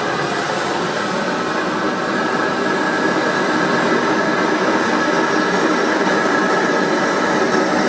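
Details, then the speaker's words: Amal gas forge burner on fairly low gas pressure: steady even roar, no popping, sputtering or surging. Normal burner roar. "But yeah, they're great little burners, these. And that's on a fairly low pressure, that as well."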